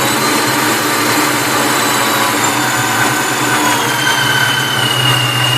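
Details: Vortech V-1 T-trim supercharger hums just off idle, with a steady even hum and faint high whine at low revs; sounds normal at idle and higher revs; owner suspects bad bearings.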